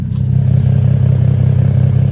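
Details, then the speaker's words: Infiniti G (G37 or G35) just picked up, idling at home: deep, steady rumbling idle with even low pulse, no knocks or misses; loud but healthy. "It rumbling, y'all. It rumbling, y'all."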